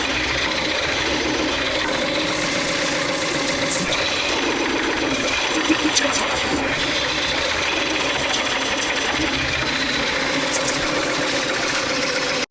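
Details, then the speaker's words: Wood lathe coring bowls from a large cherry blank: a steady hissing cut with only a faint rough buzz left, as chatter is reduced with the knife kept directly over the support blade. "you can hear that the chatter is less and now Chip injections are falling because I can't get I can't get my uh my knife out of the way"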